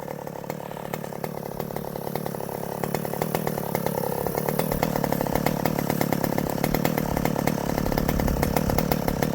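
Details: Vintage chainsaw with governed carb cutting tree wood: steady two-stroke buzz climbs and settles as chain bites, pulling cleanly without stumbling; normal running under load.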